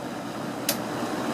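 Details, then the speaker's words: Old Edison box fan with a Toastmaster-branded motor on medium: a steady whooshing fan roar with a faint rattle and one sharp tick, very loud for how little air it moves; cause unclear. "this thing interestingly doesn't doesn't move nearly as much air as the uh amount of noise it makes would"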